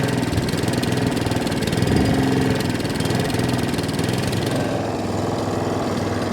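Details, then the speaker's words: Second-hand Allett Kensington mower with Kawasaki FJ100 engine before repair: revs rise and sag unevenly with a slight miss, hunting and surging from a fuel delivery problem, a dirty carburettor, visible as the carb arm moving. "So as you can hear, the revs are dropping up and down. There's a slight miss to the machine."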